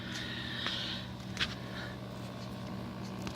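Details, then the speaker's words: Custom soldered liquid cooling loop, microphone next to the pump after about 20 minutes running: low, steady, even hum with no rattle or gurgle; pump running normally, good pressure, no blockages. "not sure if you can actually hear that Avery up next to the pump it's humming along"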